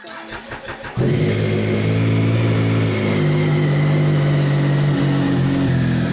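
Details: Triumph Speed Triple after new spark plugs, a new air filter and tank work: the starter catches at about one second, then a steady, even idle with a smooth exhaust beat and no knocks. Normal start and idle.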